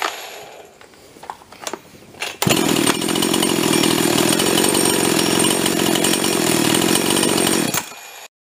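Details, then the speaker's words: Older (circa 2002) Husqvarna 350 chainsaw rebuilt with a 42mm 346XP closed-port top end, started after assembly: after a few pulls it fires and holds a crisp, steady buzz; runs clean. "and what you saw there is the result it's a Snappy saw top to bottom runs just clean"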